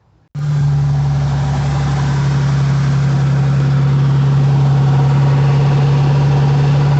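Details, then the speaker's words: 2005 Ford F-150 idling before repair: loud, rough fast rattle at the A/C compressor that persists when the clutch disengages, so the owner suspects the pulley bearing, not the clutch or whole compressor. "I'm hoping it's just the bearing inside the pulley. It's causing all the ruckus and not the whole compressor shot."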